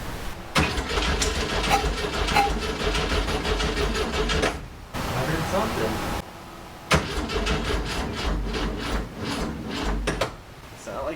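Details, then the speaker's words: 1967 Volkswagen Fastback flat-four, on an old coil, smelling of hot electronics: long bursts of steady cranking with only faint coughs and no catch, twice over; crank no-start, owner suspects the fragile electronic igniter is blown. "i'm pretty sure i blew up the igniter that i've had in there they're really fragile and they're really easy to hurt"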